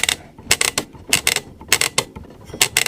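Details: Early-1980s AWA/Thorn 38T1 CRT TV (Mitsubishi Q chassis) rotary tuner after cleaning with switch cleaner lubricant: crisp ratcheting clicks in quick clusters as the channel knob turns; detents sound normal.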